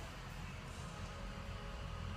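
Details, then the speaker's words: 2003 Ford F550 diesel, 60,000 miles, intermittent rough idle and hesitation on acceleration, code P0269: low idle with uneven lumpy beat; scan tool shows cylinder three at -12 contribution, constantly missing, cylinder misfire. "so number three is always missing and acting up and you can physically hear the motor too so that right there tells me that cylinder Maureen is having trouble contributing"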